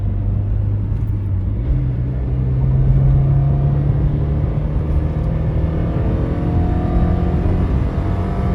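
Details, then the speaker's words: Right-hand-drive JDM Toyota Altezza in a 3rd gear pull: a deep, steady engine drone that climbs smoothly with speed, loud and not quieted down like a Lexus, with no knocks or rattles; normal running while driving. "they're not trying to quiet this car down like they would with like the lexus the lexus it's a quieter engine from what i know and whereas this thing you can"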